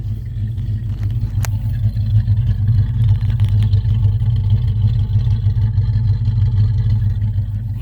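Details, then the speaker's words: 1976 Chrysler Newport, parked since about 2012–2013, running after first start in years: deep, even V8 burble with steady low rumble and no knocks or ticks; normal running. "Oh yeah. Love the sound of her."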